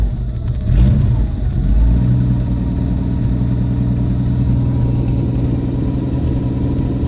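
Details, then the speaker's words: 1979 Jeep CJ5 with AMC 258 inline six, just brought home; low uneven idle that settles once choked, steady rumble without knocks, only keeps running on full choke, carburetor suspected dirty, needing cleaning. "oh it likes full choke on me chair must need cleaned up"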